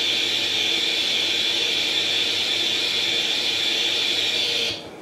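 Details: Atari 800 XL retrocomputer, revived after a 5V-GND short on the mainboard by replacing all RAM chips, loading International Karate from cassette: steady high hissing data tone holds several seconds then cuts off cleanly, a normal tape load.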